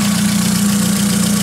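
Smooth, even tick-over with a steady low hum and no knocks, misses or hunting; a healthy idle.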